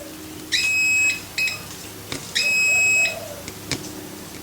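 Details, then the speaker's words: Continuity check on the wiring of a 330 MiniHex multirotor during a rebuild: two sharp beeps on the negative where the circuit should be open and no tone was expected, suggesting an unexpected connection, possibly a short; cause unconfirmed. "so that's here that's a negative so if we hold that there we should not have heard that noise hmm"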